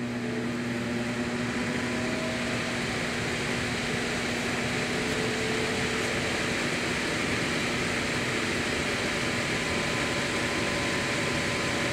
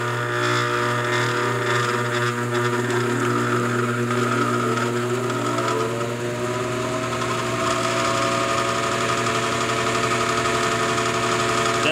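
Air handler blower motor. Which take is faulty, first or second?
second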